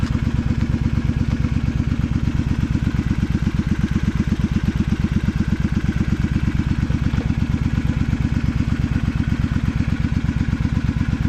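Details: Honda V-twin Magna 250 (MC29), 17,810 km, with drag pipes: deep, even V-twin thump about 170 pulses a minute, steady and clean with no knocks or rattles; running normally.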